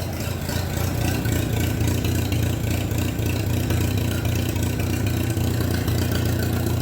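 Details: Minneapolis Moline BF tractor after in-frame engine rebuild, idling without muffler, owner thinks not yet warmed up: loud open-exhaust putter with an even low beat and no knocks; normal idle without muffler.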